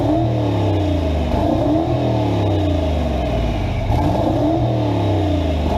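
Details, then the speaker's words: V8 revving smoothly up and down after a pushrod was found to be the fault and fixed, no ticking or misfire; engine running clean and healthy. "looks like everything's running good Friday through our club other than that I think this thing's doing great"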